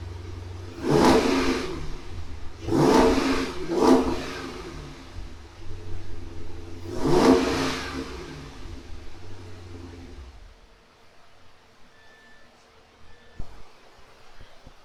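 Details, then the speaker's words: 2016 Dodge Challenger R/T, 5.7 (345) Hemi, ported throttle body, Air Raid intake, Mopar catback, stock manifolds before shorty header install: deep, even V8 burble at idle with four clean throttle blips rising and falling smoothly; healthy, normal idle and revs. "Before we get too high up in the air, let's fire this up and see what it sounds like stock."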